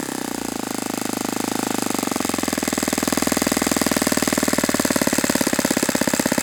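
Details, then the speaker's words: Saito FA-91S model four-stroke glow engine on test stand, not run in years, cool 60°F day, with a replacement plug that looks dim: climbs to fast even buzz but levels off short of full revs; reduced peak RPM, idle different, weak plug suspected. "Okay, I've seen enough with that plug. Uh, I don't think I'm getting the same peak RPM with that plug and the idle seemed a little bit different."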